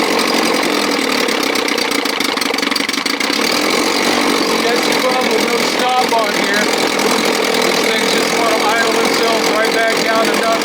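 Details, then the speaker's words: 1957 Montgomery Ward Sea King 5 hp two-stroke outboard, running on the transom with no thermostat and no cover: fast, steady, loud buzzing note with no stumbling or surging; normal running. "joking building sounds good with no thermostat [Music] man that thing was so loud this thing is and that four horse"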